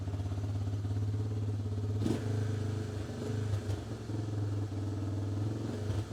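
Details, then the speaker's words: 1988 Honda FourTrax TRX300 2WD single-cylinder, warmed up: idle loping, swelling and sagging, won't settle, idling too high; idled down when choked, owner suspects too much fuel; oil leak suspected at base gasket and valve/head cover; came in for carb clean. "now that I got it in here and got it warmed up you can hear what she's doing she's idled up too high and it was idled good before choke it she actually idled down might be getting too much [Music] fuel trying to see if I can pinpoint that oil leak see the idoling is just all over the"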